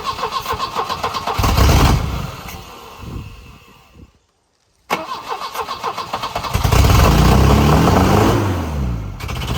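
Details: 1984 Volvo 244 GL pulled from the woods: cranking at about four beats a second catches briefly, then dies once the starter is released; owner suspects grounding through the starter or bad wiring.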